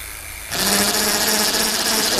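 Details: Lightning Rod Big Block electric bicycle conversion kit motor, phase wires shortened, hall combination uncertain: steady high motor whine under throttle with faint scratchy edge, something just touching, slight wobble; rubbing noise, contact unconfirmed.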